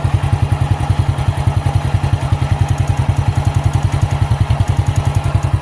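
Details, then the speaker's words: 28-year-old Honda Astrea motorcycle, cam chain never replaced: a steady, even single-cylinder idle thumping about two and a half beats a second, no knocks or rattles; normal, still-smooth idle. "Nah suara mesinnya begitu kurang lebih, masih halus lah."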